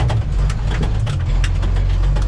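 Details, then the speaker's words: 1990 International 4700 dump truck, Spicer ES42-5D 5-speed: steady heavy knocking under diesel drone pulling in first gear, sounds like engine knock but stops in fifth; suspected input shaft bearing, actually missing countershaft drive gear teeth, gear and bearings replaced. "As a matter of fact, when you're in fifth gear, it completely stops knocking. If it's not knocking in fifth gear, there's a chance that it could be something in the transmission. Most likely the input shaft bearing."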